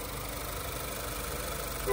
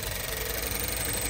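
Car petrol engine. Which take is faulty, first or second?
second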